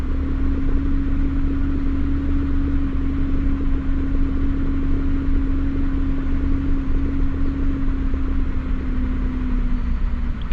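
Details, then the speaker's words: Mazda Bravo B4000 cold start, engine not even 10–15° yet: smooth hum jumping straight to a 1,750 rpm fast idle via the idle control valve (automatic choke), then easing back down toward 1,000 rpm; normal fast idle after the valve change that fixed rough 250 rpm cold starts. "all that straight off off the key bang straight up to 1,750 again like it should then it should cuz it it's still cold but it should idle straight back down"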